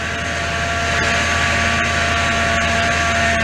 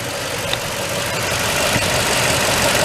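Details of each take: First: 2004 Toyota Tundra, 215k miles, idling just after swapping in a power steering pump; steady high whine over the engine, even pitch, from air in the fluid, expected to quiet down; banjo fitting slightly wet. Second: 2004 Toyota Tundra, 215k miles, after power steering pump swap and banjo leak fixed with original washers; even idle, smooth hum, very slight residual noise expected to fade, no whine or groan, healthy.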